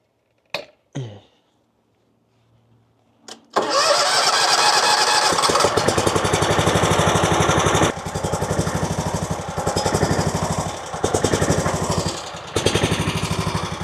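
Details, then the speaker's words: RedMax zero-turn mower with Kawasaki twin engine running on one cylinder, the other spark plug lead removed: speed rises and sags in waves; surging that persists on either cylinder, cause still unknown. "When I take the spark plug off of this side and crank it up, it runs just fine. I mean, it sounds like it's running on one cylinder, but it runs fine."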